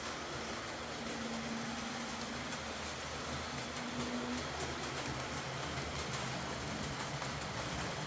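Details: Old Hornby R751 Class 37 model locomotive after repair, wheels cleaned of corrosion with a rotary tool and brass brush, body refitted, on track: faint, smooth motor hum at even pitch over soft track rumble, no grinding or stutter; normal running.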